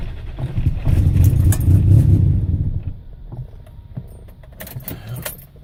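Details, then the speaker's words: 1999 Nissan Maxima hard start: keys rattle, then engine catches with uneven, choppy firing that lumps and sags before settling, strong fuel smell; rough start with misfire. "Smells like mad fuel right now. That startup was disgusting. It's misfiring like a bitch."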